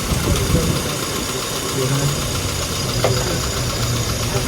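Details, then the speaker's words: Classic car engine after ignition timing was set (it had been running very rich, fueling still to adjust): even, low, steady idle with a smooth regular beat, no misses or hunting; timing good. "So, does that sound good now? Sounds alright, doesn't it? What we getting there? So timing's good."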